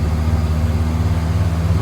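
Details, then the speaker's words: 61-year-old Morris Minor 1000, one-owner car, first start after purchase with choke pulled, in neutral; low, even four-cylinder burble on choke, steady pulses, no knocks or stumbles; starts and idles normally. "Hopefully, it should fire up. Oh, nice. At least it's got that going for it. It will actually start up."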